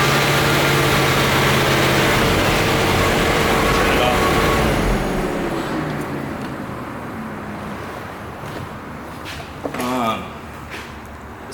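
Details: C4 Corvette V8, OBD-I, idling: steady uneven lope with a regular stumble, one cylinder dropping out; injector number one made the least difference to the misfire, old spark plugs suspected, wires possibly.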